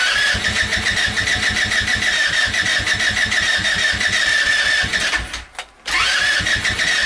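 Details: Go kart small engine, cold start in snow just above freezing: steady rhythmic cranking about three pulls a second with a whirring starter note, never catching; hard cold start.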